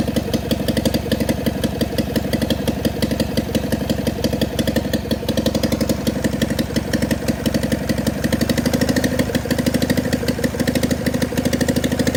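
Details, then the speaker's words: John Deere 400 tractor, Kohler K532 twin, parts tractor not run in about a decade, bad governor (points plunger didn't move), makeshift fuel supply, full choke: even rapid firing beat at steady speed, no misses or knocking, no smoke; runs properly. "okay it runs no uh no smoke"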